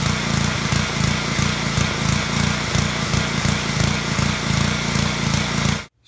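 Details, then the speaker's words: Small petrol pressure washer engine surging, RPM rising and falling in a restless pulse; annoying but harmless, blamed on a clogged carburetor pilot jet. "clearly hear that right there RPMs are going up and down like that it's not gonna hurt your engine it's just really annoying when it does it"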